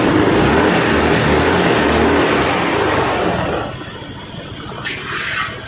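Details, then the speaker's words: Yamaha Fascino BS6 scooter after repair of a no-start where fuses kept blowing from a short: starts on the self-starter, runs evenly and settles to a quieter idle without stumbling or misfire, check lamp now works; normal running. "இப்ப பார்த்தா தெரியும் வண்டி வந்து பக்காவா வந்து start ஆகி ஓடிட்டு இருக்கு."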